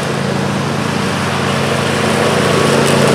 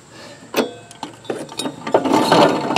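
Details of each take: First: John Deere LA135 with 42-inch deck after rebuild kit (new blades, belt, pulleys, spindles) fixing a horrible whining: steady, even engine drone and smooth blade hum, no grinding, rattling or squeal. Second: John Deere LA135 42" mower deck that whined loudly with the blades engaged, spindle turned by hand: rough, uneven clicking and gritty grinding from a failed spindle bearing. The spindle needs replacing.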